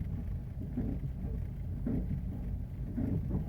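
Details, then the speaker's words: Car moving slowly in reverse at night makes a dull clunk about once a second over low rolling rumble; the wheel feels loose and about to come off, held by too few lug nuts. "Truena. Es más, déjale, voy de aquí con cuidado de reversa porque no le quiero dar tanta vuelta porque siento que algo se va a salir. Le hace horrible."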